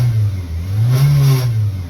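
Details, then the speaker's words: 1995 Eagle Talon TSI, neglected: low rough buzz rising with a short rev, vibration felt in the car, alongside belt squeak and power steering whine; a heat shield seems to be making noise. "You can hear that like a vibration, almost a buzzing noise. You can feel it in the car, which is what's crazy."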